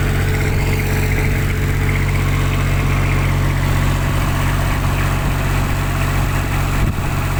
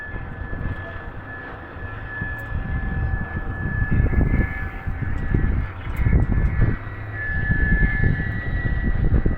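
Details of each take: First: Kubota tower light diesel, after a clogged primary fuel filter, loose fuel hoses and an air lock caused a no-start: even, steady low idle with no misses, hunting or knocks. Running cleanly. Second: Kubota tower light diesel cranks with uneven low rumbling bursts but never runs steadily. No-start; findings were a clogged primary fuel filter, loose fuel line hoses and an air lock in the fuel system.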